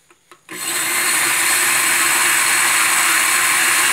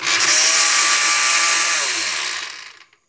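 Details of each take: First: Blender after replacing its worn, loose coupling (mariposa), which had made it sound bad: spins up to a steady high whir and winds down with no rattle; normal running. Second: pues voy a mostrar que cuando nuestra licuadora suena de esa manera es porque está fallando la mariposa si usted puede observar pues lo que está flojo pues no va a poder conectar con el de acá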